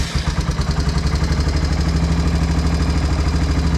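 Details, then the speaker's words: 1990 Honda Foreman FourTrax 350 ATV restarted after running a while, during oil change: even, low single-cylinder chug at steady idle with no ticking; engine idling normally. "They say to let it run for a little while first, which we did, but I'll fire it up again here and let you hear it. So there's no ticking now sometimes."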